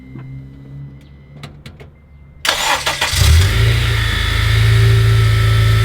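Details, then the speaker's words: 2011 8th-gen Honda Civic Si after crank pulley replacement (torqued 36 ft-lb plus 90°, belt refitted): starter cranks, engine catches and settles to smooth steady idle; earlier clock/knocking sound gone, quieter and smoother. Normal idle. "It's spinning a lot more smoother, and that sound that we was hearing, that clock, you don't hear it no more. So it sounds more cleaner, right?"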